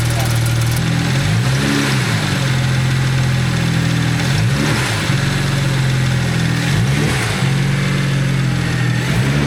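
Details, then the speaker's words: BMW idling warm after a fix: smooth and steady with faint belt whir, and the earlier knock or tapping heard toward the oil pan is gone. "I don't hear it anymore. Yeah, I don't hear the knock anymore. Like that little tapping, Yeah. I don't hear the tapping anymore."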